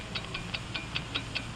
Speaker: the ticking of a fine one wherever you go whatever you do America's fine watch ticks steadily accurately on five ticks every second